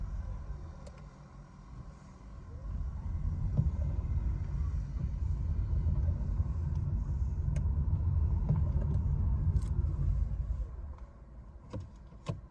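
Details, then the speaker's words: 2018 Nissan Leaf after front axle clicking repair; the clicking had occurred when braking then accelerating, especially with the e-Pedal. The axle nut was torqued to 147.5. On the test drive only road rumble is heard, with no clicking. "the test drive shows no clicking sound anymore"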